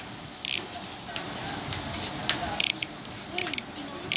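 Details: MAXZONE Stroke 1.0 rear cassette hub (32 holes, 3 pawls, 3 teeth, sealed bearings, 9–10 speed), freewheeling: crisp, fast, high-pitched ticking in short even bursts. Normal, healthy three-pawl freehub clicking.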